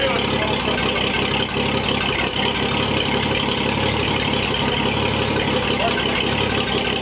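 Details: Old Chevy Apache barn find, first drive after sitting about 20 years: steady, even engine note holding firm as the truck pulls away under power, no knocks or slipping; runs healthy.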